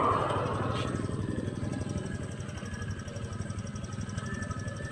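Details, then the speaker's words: Honda Click 125 scooter that would not start, with the front lights flickering; the relay was checked good. Now it runs with a steady low putter at a fast, even idle, about three pulses a second, with no misses or knocks. "Ayan, umaandar na yung motor."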